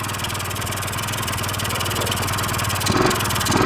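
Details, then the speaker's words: 1996 Honda Elite 50cc scooter, sat a long time, first start with airbox off: two-stroke putters unevenly at fast idle, beat wandering and surging; owner says carb clogged, to be cleaned. "oh yeah she's definitely carbage carb is definitely clogged up you could tell it's just putting"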